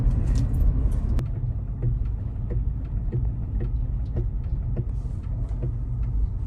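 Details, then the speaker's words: Tesla rolling slowly at about 9 mph on an undersized spare tire that triggers traction control. Light, irregular clicks about twice a second, felt as brakes applying and releasing. Owner suspects ABS activating from the tire diameter mismatch. "hear that clicking sound that's the abs here popping off i would bet listen that's the same exact sound i heard in knoxville"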